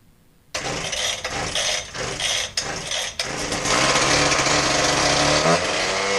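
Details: Husqvarna K770 concrete power cutter, new spark plug, cylinder unscored: catches, then surges and sags in ragged bursts before settling unevenly; bog from a fuel-related issue, customer complaint bogs out and dies.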